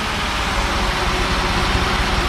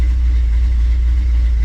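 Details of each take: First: 1957 Chevy Bel Air 327 V8, not run in 10-15 years, running off an electric fuel pump from a jerry can, carb has no accelerator pump, water was found: uneven, loping beat that won't hold idle yet, quieter and happier than before. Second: 1957 Chevrolet Bel Air, 327 V8 with TH400, farm field find just revived: cold idle hovering around 900–1,000 rpm at 78 degrees, deep slightly uneven lope without knocks or ticks; normal lopey cammed idle expected to settle when warm.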